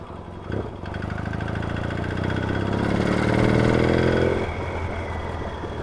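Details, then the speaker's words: Yamaha XS650 chopper twin revs and settles with a light quick tapping over the exhaust note, knocking under load; owner first suspects little ends, later worn rockers, shafts or pitted tappets. Unconfirmed. "sure it's a little ends on this it's got that little end sound to it"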